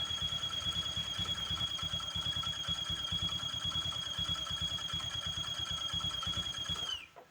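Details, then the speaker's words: Honda Vario 150 scooter at idle with front CVT pulley removed: steady high thin squeal over fast even idle, stops with engine; noise remains, so fault suspected inside engine, not CVT; oil check next. "Oke setelah dilakukan pelepasan pada bagian puli depan ternyata masih ada bunyinya ya Bunyi ee berisik di bagian mesin ya"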